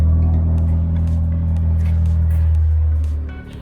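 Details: Proton Satria 1.3 with a jerking, near-stalling idle; plug lead No. 1 is pulled. Idle goes rough and loping, then sags and nearly dies, so that lead and cylinder work (a steady idle would mean a faulty lead).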